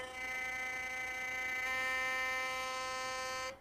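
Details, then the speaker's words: Philips Sonicare toothbrush after tightening the screw that removes play in the shaft: steady, clean high buzz, even in pitch until switch-off, no rattle or excess vibration; noise fixed. "E a consertada melhorou bastante, né? Ó, nova consertada."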